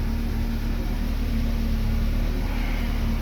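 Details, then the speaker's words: Chevrolet Lacetti/Cruze 1.8: steady, even idle with a smooth low hum and no skips or misfire; normal idle. "Mashina yurdi. Xudo xolasa hech qanaqa перебой yo'q."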